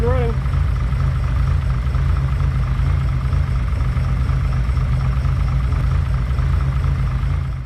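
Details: 1972 Ferrari 365GTC/4 V12, former non-runner now running: deep, steady, even idle rumble with no stumbles or misfires. Slight accelerator pump leak, thought to need new O-rings.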